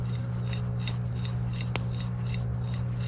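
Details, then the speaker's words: BMW E9x 3-Series old front wheel bearing, noisy after a 1,000-mile trip. Removed and spun by hand, the hub gives a dry, gritty scrape repeating about every half second over a steady hum: a worn wheel bearing. "Not supposed to be able to hear that. That thing was definitely bad."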